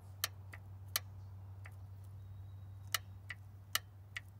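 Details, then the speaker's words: 1990 Oldsmobile Custom Cruiser, 403 engine, 200-4R transmission, no fluid in the solenoid, key in run: sharp single clicks as power switches on and off over a low hum; torque converter clutch lockup solenoid actuating and releasing normally. "that's your lock up solenoid and that's all i'm doing it's just releasing"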